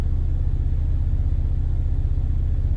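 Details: 2018 Ford Focus ST at idle with the air conditioning on, with the Mountune rear motor mount before swapping to a CP-E Stage 2 mount: a steady, even low rumble with no knocks or shudder. Normal idle.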